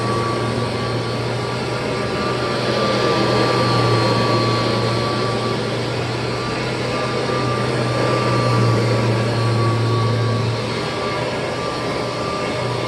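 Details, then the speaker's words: 1988 Kirby Heritage II Legend vacuum's formal test run after refurbishment with new bearings, brushroll spinning. Steady, even motor hum with a clean constant whine and no rattle or bearing growl; healthy running. "brushroll is spinning wonderful nice and fast both winding up and winding down and of course totally smooth because that's what new bearings gives you"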